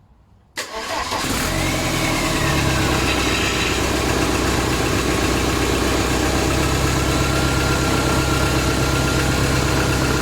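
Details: VW AHU TDI diesel on a garage-floor test stand, first start before fitting into a T25/T3 camper: quick catch and start, then a steady, even diesel clatter at idle, holding speed without stumbling; sounds healthy, normal start and idle.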